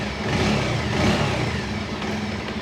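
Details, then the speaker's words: Motorcycle after engine work in the workshop, with small jobs still ongoing: a short rev blip rises and falls cleanly with no rattle or knock. The mechanic calls it perfect and butter-smooth. "सही आ रहा है ना एकदम perfect. अभी तो गाड़ी में छोटा मोटा काम चल रहा है। बाकी इसका साउंड कैसा लग रहा है आपको? मक्खन एकदम मस्त।"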